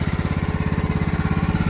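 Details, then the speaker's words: Old Craftsman riding mower with hydraulic valve lifters, after carburetor air screw adjustment and swapped spark plug: steady, even low putter at raised idle, about fourteen firing pulses a second; normal idle. "All right, I think we finally got it squared away. had to adjust that air screw on the carburetor. Play with that a little bit, but got it running good. Sounds good. Idle's up."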